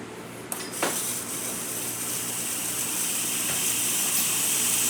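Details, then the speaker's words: Breville Oracle espresso machine after full service (was making a very loud noise and releasing excess steam): strong steady steam hiss that builds and holds without sputtering or surging, even pressure, good temperature; normal steaming. "As you can see, nice steady steam coming out of the machine. Really good temperature. Working excellent."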